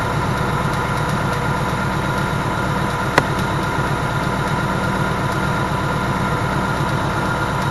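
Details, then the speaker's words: Car at 12,000 miles, around second oil change: steady idle with light, fast, evenly paced top-end tapping; owner says it is tapping pretty bad, cause not pinned down. "so it's it's tapping away right now like it's pretty bad and I haven't heard the noise that I can speak of since my oil change"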